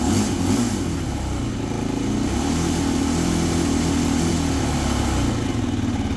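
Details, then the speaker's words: Yamaha YFZ450F single-cylinder quad after fixing smoking exhaust with a new cylinder, first start after reassembly: fires up and settles into steady, even thumping idle with no misses and no exhaust smoke. "all right sounds good uh there is no smoking coming out of the exhaust again so I think we're we're all set that new uh cylinder worked great"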